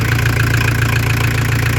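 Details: Diesel camper van after turbo replacement, preheated and started on open exhaust: smooth steady idle with even low clatter, no stumble or hunting; no extra noise.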